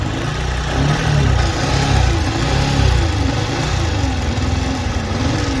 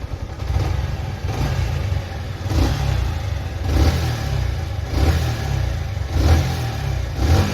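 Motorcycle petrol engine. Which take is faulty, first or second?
first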